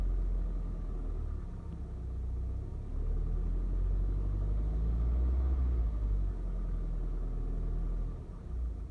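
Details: Cold-start knock on a 2.0 TSI CHHB engine: low steady rumble with a faint regular tapping about four per second at cold idle; knock source unclear.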